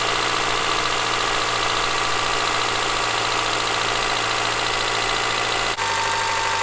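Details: Honda Accord (CB7), 183,000 miles, idling just after first start in three years; steady even idle, smooth hum, no knock or rattle, running healthy.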